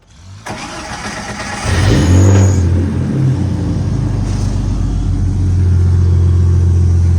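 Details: 1988 Jeep Comanche, 4.0L inline-six, after replacing the starter: starter whirs briefly, engine catches fast and settles into steady, even idle with no grinding or misses; starts clean.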